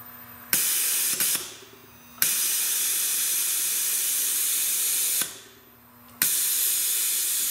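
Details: Rolair JC10 air compressor after rewiring the pump-up circuit, running and cycling up to pressure: two long loud bursts of hissing, air dumping out when it stops; leaking check valve bleeding tank pressure.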